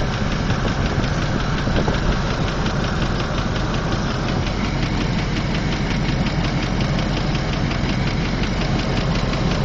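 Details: 2003 Land Rover Discovery II at idle: fast, even light top-end ticking over a steady rumble; Lucas Heavy Duty Oil Stabilizer calmed it slightly and smoothed running, but the ticking persists at rest, cause not pinned down.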